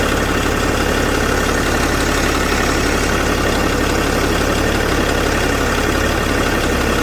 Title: BMW E61 525d LCI Motorgeräusche, Turbo